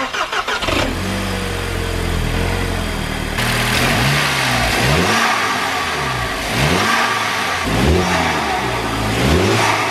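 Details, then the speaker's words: VW Golf Mk5 GTI TFSI petrol engine just fitted with a Forge Motorsport Twintake carbon intake: starts, then revs rise and fall with deep intake roar and a light diesel-like TFSI tick and rattle, normal for this engine. "Right folks, so it definitely does sound good. I'll just go over here because that TFSI tick and rattle is definitely still sounds like a diesel, just how it is."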